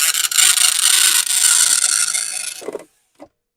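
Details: Commodore 1525 dot matrix printer (Vic-20/C64), long-stored and untested, running its built-in test mode after tractor-feed paper adjustment: loud buzzing rasp from the print head in quick bursts, then the carriage stops with a clunk; loud despite the noise cover; normal printing.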